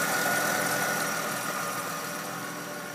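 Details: Mercedes ML idling: steady hiss with faint whine over an idle pulsing about four times a second, slightly rough; owner suspects a belt, cause unclear.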